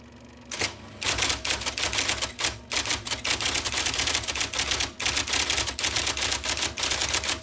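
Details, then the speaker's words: 1979 IBM Selectric II (non-correcting) typewriter, revived after fixing miswired plug, cleaning and lubricating: fast, crisp even keystroke clatter, no binding or dragging; normal typing. "And so here's what it sounds like. Yes, there is life in the old beauty yet. The wonderful whirring noise of the motor."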